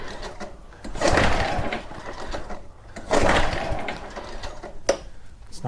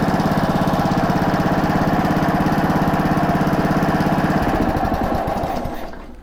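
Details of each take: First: Very old Honda walk-behind mower at about 30 degrees outside, choke possibly off: two separate cranking bursts about two seconds apart, engine turns over but never catches; cranks but won't start. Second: Honda mower single-cylinder, started cold on choke after a new plug and carb cleaning, chugs at a steady even beat, then slows and dies out; runs cleanly, throttle cable needs adjusting.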